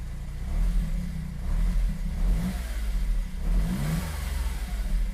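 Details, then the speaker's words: Smart Fortwo W450 0.7 after sitting unused a long time, first run: the small engine picks up and drops back cleanly with each throttle blip with no knocks, though it feels somewhat lumpy; running quite well overall. "it sounds like it's running really quite well to be honest"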